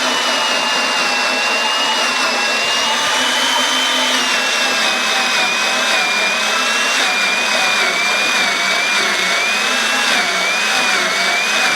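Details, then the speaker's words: 3/4-inch drill on a tenon auger with custom blades cutting the full-thickness shoulder of a 10-foot logging wheel spoke held in a drill press: high motor whine sags in pitch as the cutter bites; drill bogging under heavy load. "So you can hear the amount of power it takes out of this drill to start cutting this whole shoulder full thickness."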